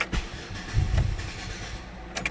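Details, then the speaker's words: 2005 Chevy Impala, 3.4L, intermittent start/stall: short cranking bursts and a rough, uneven catch that quickly dies, with a flashing check engine light and low-fuel lamp lit; PCM power feed suspected, class 2 serial communication codes stored. "she's running she's around on like crap in there it's stalled out but you noticed check engine light was flashing"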